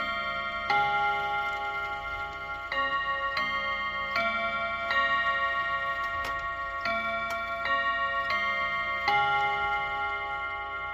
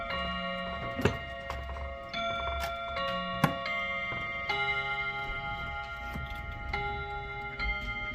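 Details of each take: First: Serviced chiming clock, hour strike test: bright bell chime melody in slow, uneven phrases; with the hand on 1 it strikes 4 times, but strikes 2 at 2; owner suspects the seashell mechanism; hour strike miscount. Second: Chiming clock after its first service: steady tick with a run of clear ringing chime notes striking cleanly on the hour; keeps time, may need adjusting; normal hourly chime.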